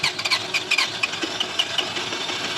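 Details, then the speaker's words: Toyota Camry 2AZ engine after an oil-burning and timing repair, first start after reassembly with the crank sensor reconnected and no coolant yet: an uneven, stumbling idle with irregular surges and a faint squeal. It is expected to run rough at first from oil and the disassembly. "Yeah. It will run rough at first start because of the oil and the old things we've taken apart. It will run rough."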